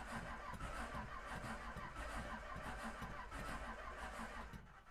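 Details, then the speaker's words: 1937 Buick Century convertible with twin Carter carbs, unstarted for years, electric fuel pump running: steady cranking about three beats a second, starter slowing as battery drains, no firing; no spark suspected, carbs unprimed; cranks but won't start. "that's odd it's like we don't have any fire but the switch is on huh so it says that the electrical so you can hear the bat you can hear the starter slowing"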